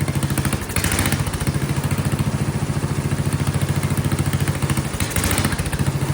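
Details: Vintage Kohler motorhome generator, flathead engine (guessed 400–500 cc), gravity-fed carburetor, just after reattaching a loose condenser: single-cylinder thumping about 3.5 beats a second, uneven and sagging, running rough and seemingly wanting choke; owner suspects condenser or fuel pressure, unconfirmed.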